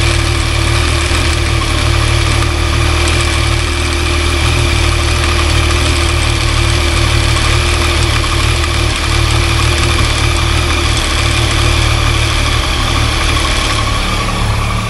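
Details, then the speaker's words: Cold three-cylinder motorcycle on original exhaust, idling with the clutch lever partly pulled: a loose, uneven rattle over the firing that eases when the lever is pulled. Clutch basket rattle persists despite the owner disassembling it and trying several adjustments. "o mesmíssimo barulho só que esse proprietário se incomodou com isso esse aqui não se incomodou esse aqui ele desmontou mexeu fez vários tentou fazer vários ajustes mas o Rui tá aí ainda"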